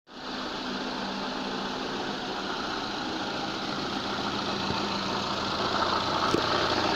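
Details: Lada gearbox at steady idle: a faint, regular knock of about three or four beats a second while the input shaft turns; the noise disappears when the clutch is pressed. Worn input shaft bearing.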